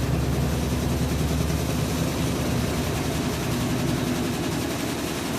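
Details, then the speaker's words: Whirlpool top-load washer WTW4816FW3, bought new July 2023, circuit board already replaced: loud, rough, low rumbling grind throughout spin, never settling; it went to a second spin with no water released. "It went from one spin to a second spin after making some of that loud grinding noise. So it went to spin cycle twice."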